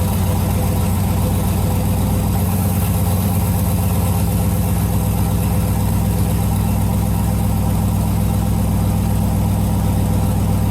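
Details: Turbocharged LS V8 in a Jeep YJ after the build: smooth, unbroken low burble held steady for ten seconds with no misses or knocks; normal idle.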